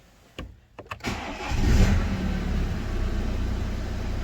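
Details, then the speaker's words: BMW 1 Series N47 2.0 diesel after repairing knocking and a red oil pressure light, with injectors coded and oil and filter replaced: brief crank, then an instant, even idle with no knocks, lights or errors; normal cold start. "Perfect start, perfect sound, no lights, no error. It's fixed."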